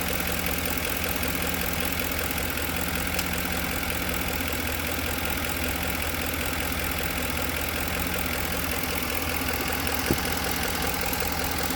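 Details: 2010 Ford F-150 at steady idle with a faint, uneven knock under the engine hum; cause not yet pinned down.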